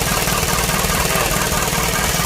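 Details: Isuzu 4HG1 diesel, running after no-start troubleshooting (defective supply pump module found): regular, even clatter at steady idle with no stumbling or hunting; normal idle.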